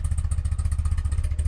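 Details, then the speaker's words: 1982 BMW R100RT boxer twin, cold start on choke: steady even low thumping at slightly fast idle, no misses or stray knocks; well-sorted, tuned twin warming up normally. "so let's do that pretty impressive 1982 you can tell how well this thing is sorted and tuned"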